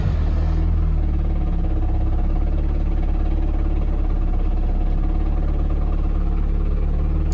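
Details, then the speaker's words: 500+ hp 1.8T-swapped Toyota MR2 with light flywheel and multi-plate clutch, at idle: steady idle with loose, irregular metallic chatter; normal multi-plate clutch rattle, not engine knock as viewers claimed. ""Your engine's knocking." No, that's what like light flywheels on multi-plate clutches did. Hear it sounding a little bit rattly?"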